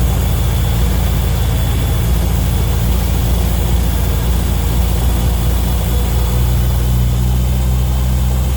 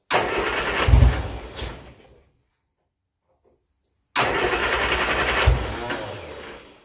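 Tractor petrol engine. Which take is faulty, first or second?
second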